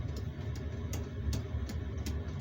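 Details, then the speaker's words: Boat heater warming up after start: low steady burner roar with sharp, quick dosing-pump ticks about every third of a second, expected to slow once up to temperature and the glow plug goes off; normal running. "There she comes. In the background now you can hear the pump going."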